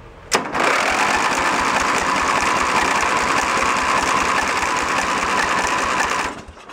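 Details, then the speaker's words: Junk lawn tractor's small Briggs engine running on choke: ragged, uneven fast patter that won't settle, with fuel blowing out of the carburetor; it still has carb issues. "see it blowing fuel out of the uh the [Applause] carburetor does not want to play well with others"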